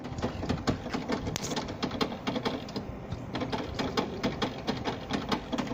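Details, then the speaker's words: 1992 Chevrolet Corvette with a battery under a year old that keeps draining: rapid, slightly uneven clicking about twice a second with a faint whir behind it; low battery suspected. "maybe low battery it does"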